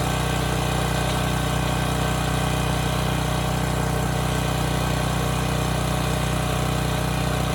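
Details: Neglected Briggs and Stratton Storm Responder generator bought as a parts machine, running really well after fuel line hookup. Steady, even drone with no hunting or misses; it holds speed well under load.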